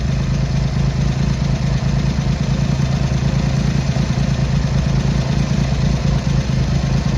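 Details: Triumph Hurricane X75 triple with rebuilt carb rack, idling after pilot screws richened slightly and left-hand carb adjustment corrected, not fully warm: steady, even low idle, no misses or stumbles; runs rich at idle, left carb body suspected faulty; normal idle.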